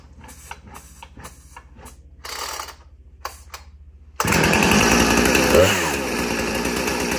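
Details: Husqvarna 455 Rancher chainsaw with original 20-inch bar and chain brake removed due to broken spring: after a few seconds of handling it catches and runs with a crisp, steady buzz and clean blips; healthy saw.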